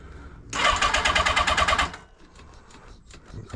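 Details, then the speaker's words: 1980 Honda CB650C with the original OEM 4-into-4 exhaust just refitted, very cold start after sitting a couple of months. Choke fully out, throttle pumped to work the accelerator pump. Short crank, catches immediately, busy even beat; clean, healthy start. "okay a very very cold start here hasn't been running oh at least a couple months I start it up every once in a while"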